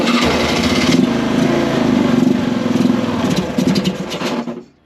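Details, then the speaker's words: Polaris Sportsman 500 4x4 ATV (bought not running, year uncertain, titled 1999), choke on, started with starting fluid: catches, runs rough and uneven about four seconds then dies; won't run without starting fluid, owner suspects carb needs cleaning (clogged jets). "all right so I really can't seem to get it running without using some starting fluid so I'm kind of thinking the carb needs to be gone through"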